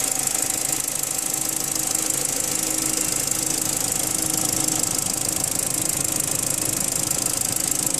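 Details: BMW N45 engine at steady idle: fast, fairly even metallic knocking over a hissy background; internal engine knock, cause not yet pinned down.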